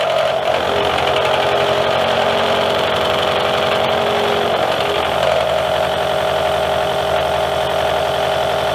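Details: Drillpro 4-flute 400R 50mm face mill with APMT1604 carbide inserts on R8 arbor: harsh rattling buzz with a steady ringing tone near 600 Hz over the spindle; heavy chatter, nasty surface finish compared with the other insert.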